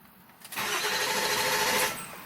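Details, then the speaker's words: 6.7L Powerstroke OEM starter mounted on 7.3L Powerstroke diesel, tuner pulled so engine only cranks without starting: brisk, even whir for about 1.5 seconds, no grinding or dragging; strong starter. "I pulled out my dp-tuner so it won't start it'll just spin over so let's see how it sounds"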